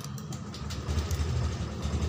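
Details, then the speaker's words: Honda Scoopy keyless scooter whose battery dropped to about 7 volts and needs replacing: low, steady hum with an even beat and no misses once started. Normal idle. "Coba kita hidupkan jika tidak ada masalah yang lain selain akinya Yang tekor ini Seharusnya motor bisa hidup"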